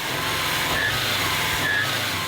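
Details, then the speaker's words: 2018 Subaru WRX STI boxer engine idling with the AC belt removed still squeaks: short, high chirps about once a second, traced to a failed harmonic balancer; fixed with new balancer and belts. "We tried to figure out which one was squeaking, so we removed the AC belt, and as you can hear, it's definitely still squeaking."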